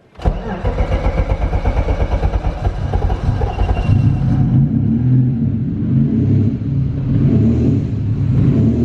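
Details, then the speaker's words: BMW E36 with turbo M52 six, first start after fitting a new Pulsar G30 660 turbo, no air filter yet and not yet tuned. Cranks briefly, catches with a quick rev, then idles smoothly and evenly. Finding: normal start and idle, power there. "Please don't cook yourself. Good start, power's there."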